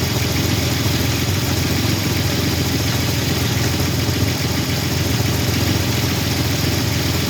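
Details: 1985 Chevrolet S10, 2.8 two-barrel carbureted V6, 2WD automatic, almost 60 psi oil pressure; steady idle with a loose, uneven knock at a few per second. Engine knocking noise, cause not yet checked.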